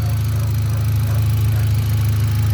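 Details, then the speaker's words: 2018 Hyundai Accent gasoline engine restarted after a cranking no-start was fixed by swapping relays, starts in one click, ignition coil bolt not yet refitted: smooth, deep, even idle, no shaking, knocks or misses, fan whooshing; healthy idle. "Okay, start. Goods. One click na, one click na. Walang kalya. Ayan oh. Wala namang panginginig. Okay naman ang kwan niya oh."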